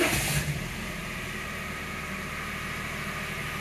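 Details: 2009 Daihatsu Sirion 1.0 three-cylinder, first start after oil change with fresh filter: fires quickly, oil pressure light goes out, steady even idle with no knocks or rattles; engine healthy.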